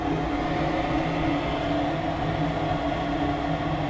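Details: Furnace during tune-up, started after cleaning with heat call jumpered and door switch bypassed: even steady whirring rush with low hum, no rattles or scraping, blower running normally.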